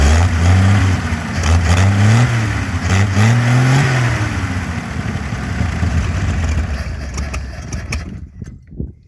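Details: GM 261 CI inline six, running on weed-eater gas after only new plugs and fuel in the carburetor: it catches quickly, blips up, then settles into a steady, even low idle with no knocks or misses. It sounds healthy.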